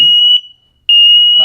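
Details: Three interconnected Emerald smoke alarms (hardwired and wireless): loud, piercing half-second beeps with short gaps; false alarm from dust, cleared by vacuuming the alarm.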